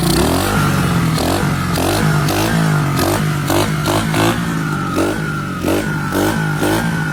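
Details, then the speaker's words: 2021 Kayo 70cc kids' dirt bike, under 5 hours, after carburetor removed, cleaned and reassembled to fix a no-start fuel issue: small single revs crisply and drops back cleanly with no stumble or bog; normal running and revving. "That's how you, from point A to point B, pull off a carb on a dirt bike, get her cleaned up, assemble it back together, get her running."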